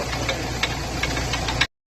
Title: Ford figo abnormal noise while turning time/ drive shaft repair/drive shaft bearing replacement